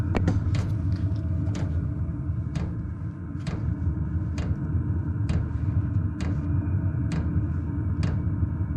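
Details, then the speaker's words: Cheap Chinese diesel heater just installed in a 2006 Nissan Frontier, first startup: steady low burner rumble with a crisp fuel-pump tick about once a second at low fan speed, before the glow plug shuts off; running normally. "a few pumps on starting to put out some heat as soon as the gold plug gets hot enough the glow plug will shut off and fan should speed"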